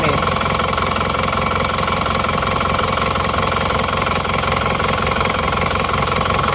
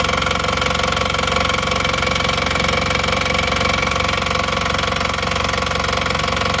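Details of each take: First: Engine burning 6 liters of oil in under 2000 km, cold start before rebuild: busy, uneven idle with rough knocking patter about three beats a second and heavy mechanical clatter; worn engine, later rebuilt. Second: Engine that burned 6 liters of oil over under 2000 km, after rebuild with new pistons, rings, pins and connecting rods, warm after about 15 minutes running: steady, even idle beat, no roughness or knocking; sounds healthy.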